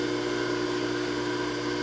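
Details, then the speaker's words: Bridgeport J-head mill after locked sheave repair and new belt, motor refitted, 3-phase: steady even motor hum, constant pitch, no knocking or grinding; spindle and belt drive healthy, brake works. "all right guys here we go brake works looks like everything's functioning"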